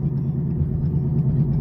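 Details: Possibly a 2016 Chrysler 200 on a test drive for a transmission-noise complaint: deep, loud, steady growl under road noise while driving, possibly from the transmission; mechanic also considers hub bearings, so drive cut short.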